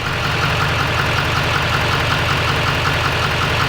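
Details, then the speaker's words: LML Duramax with SMB cold air intake, deleted and tuned (level four), idling outside on a cold night: even diesel clatter with light ticking about eighty a minute; owner hears a new, abnormal tick beyond the normal Duramax sound. "this is the normal like Duramax sound I don't know if you guys can hear it"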